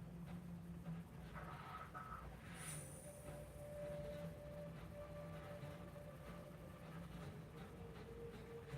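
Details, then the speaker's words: Engine with a small high-torque starter: quick crank, catches with no throttle after key-on and gauge sweep, then a steady, even run with a low rumble throughout. "It's got that little high torque starter and it spins it over real fast. So no throttle input, nothing. You just turn the key on, wait for the gauges to sweep, and then fire it up."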